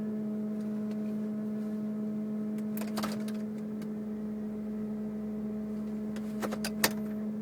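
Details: 2002 Mercury Grand Marquis, 105k+ miles: a random steady low hum from the engine compartment at one pitch with faint clicks, unrelated to bumps, speed or gear, cause unknown.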